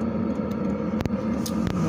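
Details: Diesel air heater newly installed in a box for house heating, on its first test run; steady even combustion roar with low hum and an odd light click; burning cleanly, normal running.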